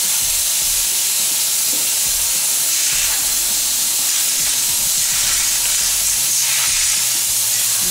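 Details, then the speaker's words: Soilmoisture Nullmatic regulator setup with one isolation valve left open while the other is off; loud, steady, sharp hiss of a very large amount of high-pressure air escaping. "wild air oil very large amount of air high pressure"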